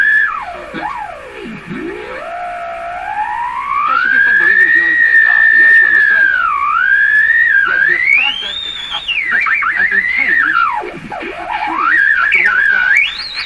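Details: Hallicrafters S-40A shortwave receiver: a loud whistle slides up and down in pitch as the tuning moves, never dropping to a zero beat; the beat frequency oscillator will not zero beat, a strong heterodyne squeal needing repair.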